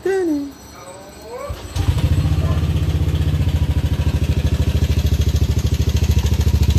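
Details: Yamaha Aerox scooter before repair, failed timing chain tensioner (earlier repaired wrongly elsewhere): at idle a quick, even clatter about three beats a second over the engine; timing chain rattle.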